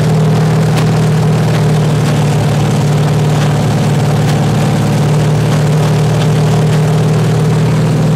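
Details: 383 stroker V8 with 1.6:1 roller rockers on an engine stand, open headers, water-only cooling at 210°, after 2000–2200 rpm break-in. Stumbling, spitting idle with all 8 cylinders firing; tight valves stay slightly open, idle not yet set.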